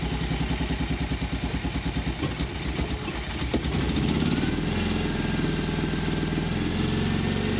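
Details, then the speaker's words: Isetta high-compression single-cylinder engine with dynastart after rewiring and fitting a heavy-duty electronic charge/starting relay: even putt at idle smoothing to a steady hum when revved; charge light goes out, about 13 volts, running healthy. "so turn the key charge light comes on engine fires up you'll see the charge light there is glowing a little bit if i wrap the engine up oh i just got though it goes off awesome i can hear the engine worrying"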